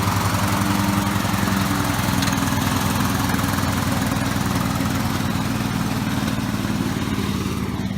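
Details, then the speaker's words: Lawn mower given by a friend, just reassembled, first start after repair with a part apparently missing: rough, uneven low putter at about ninety-five beats a minute that never settles into a crisp beat; engine running sluggishly, cause unconfirmed. "is kind of sluggish I don't we're missing one part on it some kind of black"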